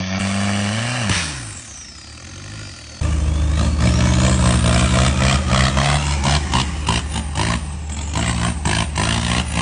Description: Engine knocked on off-road